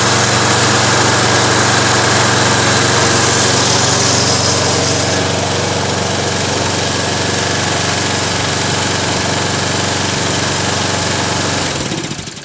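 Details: Toro Recycler lawn mower during an Automatic Drive System conversion: even, regular running with no misfire or rattle for about twelve seconds, then a clean shutdown; owner notes the primer bulb needs redoing and the recoil starter is noisy; normal running.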